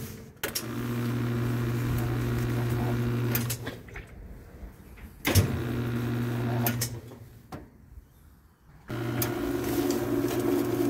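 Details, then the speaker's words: Whirlpool/Kenmore washer on spin: motor hums steadily in bursts but only the agitator/transmission center turns, tub never spins up; technician suspects worn clutch or bushing slipping; no spin. "no hace el centrifugado solamente está girando la transmisión la parte del medio del agitador cosa que no debería de hacer debería estar girando toda la tina"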